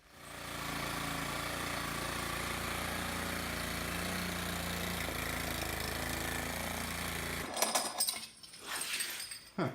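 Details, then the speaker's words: Garbage-found lawnmower single-cylinder engine, just repaired for no compression by fitting a different valve spring retainer: roars at steady high speed before cutting off, running away; governor linkage suspected sticky. "I think the governor linkage is a little bit sticky - so he was running away there for a second"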